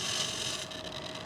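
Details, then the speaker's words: Avios C-130 1600 mm RC plane during radio setup: thin steady electric buzz at constant pitch as the elevator servo is driven to its endpoint, overdriving past its stop. "You hear that? That overdriv sound. What that noise is is that is the the motor um sweeps a trim pot inside that's internal and that's called a feedback potentiometer and that's how it knows where it is in the sweep."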